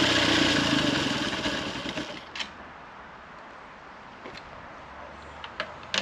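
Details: 1911 Scott two-stroke motorcycle, first start after mechanical restoration, with cleaned carburettor air holes and an AMAC carb: buzzy lawnmower-like beat at about four pulses a second fading away smoothly, running cleanly.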